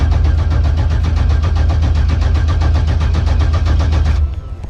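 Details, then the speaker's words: Maliboom Malibu engine, freshly rebuilt with new bearings including the cam bearings, being cranked on the starter only with ignition off to prime oil pressure before its first start. Steady, even cranking at about four turns a second with no firing, done in short intervals to protect the solenoid. "we'll have to do this in narrables because you don't want to just lay on your starter because it will burn the solenoid out so you just want to give it a little bit and then you give it a break let it cool off for a little bit"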